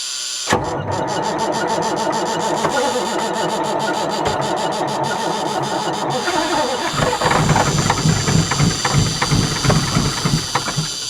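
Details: Rare big-power semi truck being revived, ether on hand: starter churns steadily about three beats a second for many seconds without catching; suspected fuel problem.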